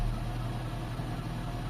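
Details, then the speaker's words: Toyota Corolla with previously unstable idle, A/C on after idle-up adjusted slightly higher: steady low hum at slightly raised idle, no hunting or surging; normal idle. "So tinaas ko konti mga boss. Tingnan natin doon sa loob. Ayan, tumaas siya ng konti mga bossing."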